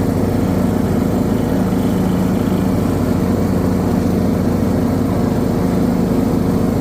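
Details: John Deere D110 mower with Briggs & Stratton 19 HP engine under load, uneven chugging about two pulses a second, beat wavering: surging and misfiring.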